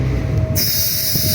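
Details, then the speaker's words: 2018 Honda CR-V, turbo, accelerating between 20 and 30 mph: low engine rumble then a sudden loud airy hiss, as if air is blowing out, as boost builds; boost leak. "That is the sound you hear when you accelerate between 20 to 30 mph. When you are accelerating, that is the sound."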